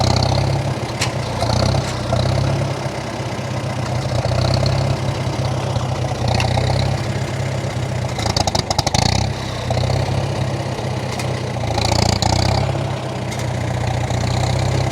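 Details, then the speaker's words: 1947 Farmall M after winter storage, still running on old fuel partly drained and topped with about five gallons of fresh fuel: thumps unevenly at idle with stumbles and popping bursts every few seconds; rough running, water found in the tank. "as you can heal as you can hear it's still running quite rough but my guess is it's quite a bit of water in the fuel"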